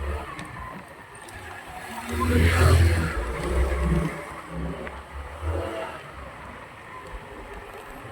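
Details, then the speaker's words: Rusi Rapid GY6 scooter after the rusted carburetor was fixed: engine revs up and settles back smoothly, pulling cleanly with no stumbling or dying; running healthy. "ayon okay na okay na gagamit na siya ng maayos"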